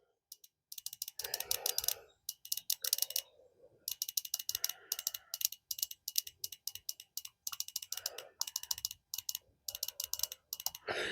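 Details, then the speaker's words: Plymouth Sundance fuel injector on bench, pulsed with test leads after sitting 20 years: quick irregular sharp ticks as it opens and closes again; may work or stick open and flood engine once reinstalled. "And now that it's opening and closing, clicking, but put it back in."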